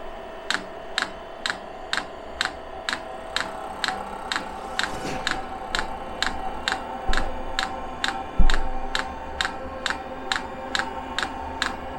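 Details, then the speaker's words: 5 kW all-in-one 12 V diesel heater on pump diesel, restart after a possible failed first start with unprimed fuel line: crisp evenly spaced dosing-pump ticks a little over twice a second above low fan hum; normal. "i haven't actually pre-primed this so as the pump gets quicker it should fire up"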